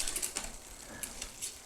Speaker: And you notice when it shifted to the large chainring, it came over a little bit further and then readjusted back. So that helps it push it up onto that big chainring, but then return back to its previous position.